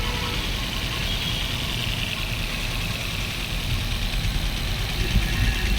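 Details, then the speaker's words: Maruti Swift BS6 running on CNG with check-engine and ABS lights on: a rough, uneven idle with an irregular low thump and stumble from a strong misfire. "यह missing miss fire की problem है दोस्तों और इसके अंदर chuckle भी आया हुआ था"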